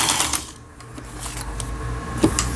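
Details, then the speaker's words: Elna 318 sewing machine (same as a Janome model), repaired after the whole machine had seized from a jammed upper cam-follower gearbox; stitch length set to 4, running disassembled, internals only. Light, even needle ticking at a steady pace, no knocks or grinding. "그 다음에 C, 요거는 이제 삼중겹 지그재그라는 거고, 요 오버럭 스티치 각종 기능들 정상적으로 작동되고 있습니다."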